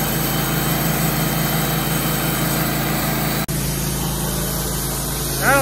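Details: Wood-Mizer LT15/LT40 sawmill after the bearing replacement: a steady, even engine drone with no grinding, rumble or knocking from the bearings. The earlier vibration and noise are gone; normal running.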